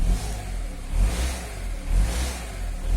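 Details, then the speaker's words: Honda Accord 7 engine after rebuild with bearing shells replaced, in drive, throttle blipped about once a second: revs rise and fall cleanly with no knock. Normal revving. "включаю кондей все заработало и идем работает нормально не стучи и гремит"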